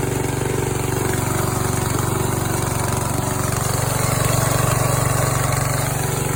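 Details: Yard Machines tractor 14 hp single-cylinder engine, valves adjusted to 4 and 6, homemade steel flywheel key fitted after keys kept breaking; even, steady thump about three beats a second, no misses or knocks; healthy settled idle.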